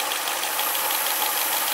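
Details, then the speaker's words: Renault Twingo first run after rebuild with gasket kit, ~780 rpm idle, 83°C: steady sharp hiss over smooth idle with faint ticking; air leak at the fuel injector rubber seal. "e aqui no motora e tem ali na borracha do bico tem um vazamento de ar"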